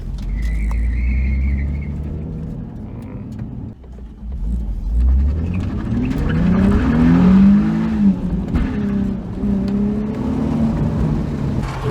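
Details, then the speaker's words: Nissan 350Z with newly installed welded open differential, first drive pulling out of parking spot at low speed: engine revving with choppy rear tire scrub and chatter from the welded diff. "Okay, so obviously you could hear the wheel chatter a little bit in that last video or last clip."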